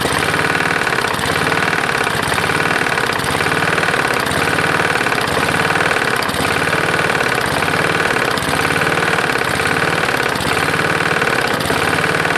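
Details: Roadside-found Lawn-Boy mower, 149cc non-OHV single, dirty oil, just started: idles unevenly with a heavy loose knock every few beats, unchanged when the bail is pulled; owner unsure whether rod knock or something else.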